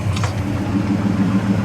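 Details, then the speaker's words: 1970 Dodge Coronet 500 convertible, idling outside after its dead-battery no-start was traced to a likely faulty brake light switch; steady even low burble with a smooth lumpy beat and no knocks or ticks. "and while it's outside i'll do a brief walk around on it while i leave it out idling"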